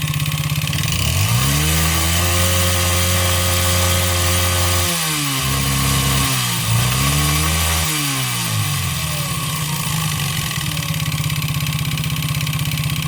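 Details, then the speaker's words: 139QMB 50cc engine with piston skirt deliberately ground short and cylinder sanded for excess clearance: small single rattles with a hollow metallic knock standing out as revs drop to idle; piston slap, audible only at low revs, masked once throttle is added. "Słyszeliście jak Piston Slap brzmi On brzmi tylko na wolnych obrotach jak dodacie lekko gazu i później już tłok tak szybko zasuwa że nie jesteście w stanie wychwycić tego brzmienia"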